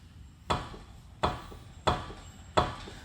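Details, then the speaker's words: 2004 Honda Civic Si, 2.0L manual, front driver side wheel rocked by hand: four sharp metallic clunks about every 0.7 s from a dried-out, badly worn lower ball joint with huge play; clunks also when turning. "The lower ball joint, it's so bad, it's so dried out and worn. It's a huge play."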